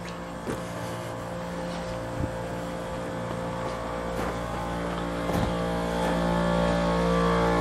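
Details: Old shop air compressor (being replaced by new Harbor Freight Central Pneumatic 29-gallon 150psi), heard from outside against the house: loud steady drone with regular knocking about four per second, straining to build past high pressure; labouring suspected, unconfirmed.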